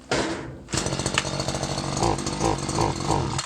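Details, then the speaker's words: Stihl FS 94 R two-stroke single-cylinder air-cooled trimmer that starts then stalls or bogs: catches, surges and sags unevenly, never reving cleanly; the carburetor mixture needs adjustment. "so I'm just gonna start it up and show you what it does and then I'm gonna take you through how I set these carburetors up so as you can see once it starts it just stalls"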